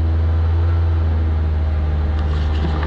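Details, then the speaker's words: 2004-2009 Mazda 3 after belt tensioner replacement, warmed up after several minutes of idling, revved to 2200-2500 rpm: steady, even drone with no rumble or bearing growl. Only vibration from worn engine mounts remains, and the former bearing noise is gone. "i'm not hearing anything i'm not hearing anything at all because it used to be very prominent at those at those rpms it used to be very prominent i'm not hearing nothing at all except the normal engine vibration because i got bad engine mounts"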